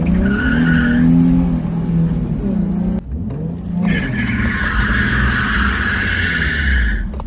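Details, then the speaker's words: Nissan 350Z on first drive after installing a welded used open diff: low engine drone while rear tires chirp and scrub pulling out of a parking spot at low speed, wheel chatter from the welded diff. "So I did notice pulling out of the parking lot, or the parking spot I have, you get a little chatter."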